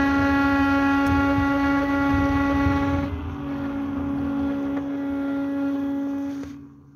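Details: KingSong S22 electric unicycle after tightening all bolts: loud steady buzzy whine accelerating from low to medium speed, settling above 32 km/h; source unknown.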